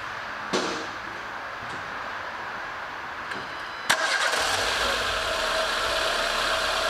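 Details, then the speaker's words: 2015 Renault Logan after timing belt replacement, coils, plugs and torqued cover refitted: starter catches cleanly, smooth even idle without top-end ticking; mechanic notes the camera mic picks up a shriller sound, which is normal; healthy. "a câmera microfone vai captar um sempre mais estridente tá isso é normal"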